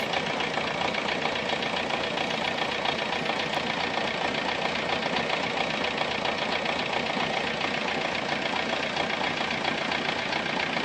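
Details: Volkswagen Golf 3 engine at steady idle: fast, even tapping riding over a rough hiss, not changing with speed; engine noise, source unclear.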